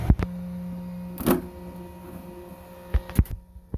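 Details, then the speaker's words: Traxxas XMAXX with a 1/10-scale steering servo fitted via adapter, driving on the ground: short motor whirs with a steady low hum between sharp clicks as steering swings; the servo turns the big truck well. "Oh, that's turning like a charm right there. Which the XMAXX itself isn't a very sharp steering RC car, but this servo seems to be doing the job."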